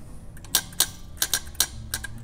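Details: Honda EGR valve tested for code P0401: ground applied to bottom corner pin and power to other side of connector; sharp dry clicks, about six in two seconds, over quiet background show the valve actuating normally.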